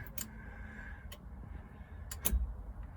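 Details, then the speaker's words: Porsche 924 Turbo, long unused, crank attempt from ignition: a few sharp clicks with no cranking because the security system engaged; the starter and solenoid had been struck with a hammer and the starter likely needs replacing. "No, we're not, because the security system's on again. God, this thing is horrible. You can hear it clicking down there."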